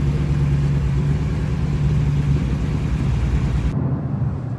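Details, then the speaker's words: Car after major repairs, engine started: deep, smooth, steady rumble under light revs with no knocks or rattles; sounds healthy and even. Motor and transmission still to be sealed and power steering pump still to be fixed. "But hopefully she starts on Q this time. Woohoo. She sounds really good now."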